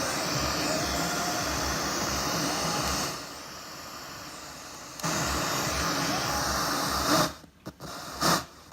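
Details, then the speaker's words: Sony SRF-M35 radio Walkman from 2001: turning the volume dial makes the radio hiss jump, then crackle and drop out; scratchy volume control, owner suspects dust inside, later fixed with a tiny bit of lithium grease. "the only issue it kind of has is a little bit of an issue when I'm turning the volume up and down it's a bit scratchy and I think there's probably a bit of dust on the inside"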